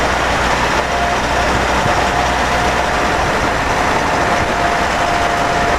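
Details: Mitsubishi 4N15 diesel with V6AWH, about 6,110 km, driving: thin, steady high whine coming and going over heavy road noise. Later found overfilled rear diff, burnt front diff oil, ATF ~1 L short; dealer couldn't fix. Drivetrain whine, source unconfirmed.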